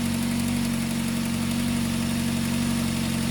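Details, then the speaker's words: Duratec engine at cold-start idle: light, quick knocking about three a second, lifters short on oil; normal until warm, then it fades. Flex pipe exhaust leak also audible. "that's a common sound on a dur attack till it warms up once it warms up that noise goes away so if you've noticed that in your dur Tech it's normal"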